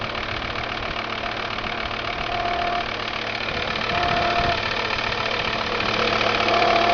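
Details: Volvo V70 TDI diesel at idle: a steady, fairly even knock of nearly four per second over the diesel clatter; an abnormal noise whose cause is unclear.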